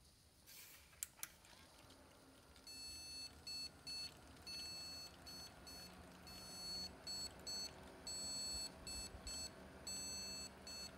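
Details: Desktop PC at power-up with no display and dead rear USB ports, cables already reseated: the internal speaker beeps a high, thin POST code of one long tone then two short ones.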